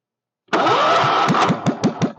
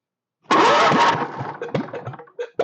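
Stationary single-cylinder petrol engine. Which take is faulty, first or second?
first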